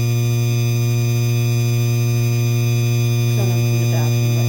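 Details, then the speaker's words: 52" Hampton Bay Landmark III Plus ceiling fan, described as the noisiest Landmark: once the light is switched on, a steady low mains buzz with a faint upper whine is heard. Electrical buzz, likely from the light kit. "You could hear you could hear that buzzing noise up a little bit down."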